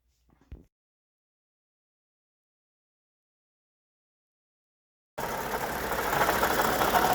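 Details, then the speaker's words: Lexus RX350 V6 idling with a light, busy rattle over the engine hum, first heard at a drive-thru with the window down, loudest at the front engine bracket; suspected failing water pump bearing. "so my wife's RX over here has started making a funny noise and heard it first in a Drive-Thru with the window down uh can't really hear it driving down the road"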